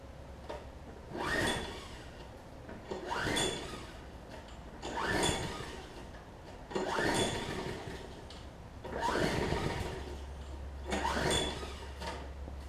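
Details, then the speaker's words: Troy-Bilt Tuff Cut 200 self-propelled push mower engine from a rough free lot, pull-rope mechanism just re-riveted: six steady rope pulls, each a rising whir with a faint cough, trying to fire but never catching and running; cranks but won't start. "It's trying. I don't know if y'all can hear it trying to fire off there."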